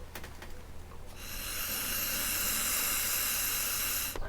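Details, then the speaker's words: Keihin PWK 36 carburetor float bowl, removed from a KTM 300 XCW and filled with gasoline, air blown through the brass overflow tube: steady airy hiss; bowl and tube sealed, no leak. "if i plug the top of it with my finger and blow through it you should see some bubbles and you don't pretty good seal there"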